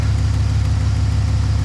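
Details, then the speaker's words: Truck before repair, owner mentioned a cylinder 4 misfire code: a lumpy idle with an irregular thutting thud breaking the steady rumble, an ignition misfire. "Can you hear the misfire? You hear it thutting?"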